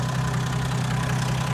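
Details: 1980 Plymouth Volare slant six, sat for years and now cleaned up. A steady, even low rumble with no knocks or misses: a healthy six-cylinder idling cleanly.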